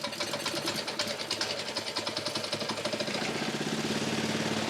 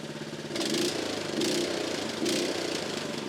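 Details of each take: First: Honda small engine that would not start despite compression, ignition switch, choke and fuel tap checks: on starting fluid sprayed into the air filter elbow, fast even rattly firing holds a few seconds then dies, showing fuel not reaching the combustion chamber from the carburettor. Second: Honda small single-cylinder engine after carburettor removed, cleaned and refitted to cure fuel starvation: steady beat with mild rhythmic swells under a light blip; running healthy again.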